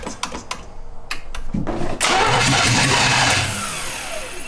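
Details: 1971 Jaguar XJ6 with a small-block Chevy, sat 5+ years, fitted with a new fuel cell, plugs, wires and oil, running a mechanical fuel pump and a dirty carb. A few clicks, then it cranks and briefly roars but won't keep running; the fuel line is found falling apart and dry.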